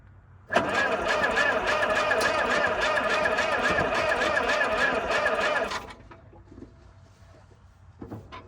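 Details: 1947 International Harvester TD-9 gas-start diesel crawler, third start attempt after magneto rebuild: about five seconds of steady fast cranking with no catch; won't fire, bad battery connection noted, timing later found possibly 180° out.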